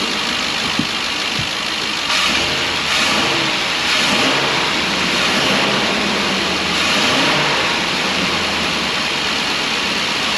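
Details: 2012 Ford E350 V8 van, 170,000 miles, after replacing the coolant-leaking intake manifold with a Dorman part: smooth, even idle with a brief rev and no stumble; the misfire is fixed.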